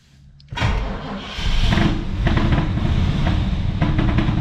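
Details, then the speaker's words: 1985 Buick Riviera 5.0L 307 V8, 85,000 miles, started on ether with 15-year-old fuel: catches and runs rough with a loose exhaust rattle from a busted muffler, mistaken by others for motor knock; belts also noisy. "Fire's right up. You hear that noise? That is actually the muffler. And the belts."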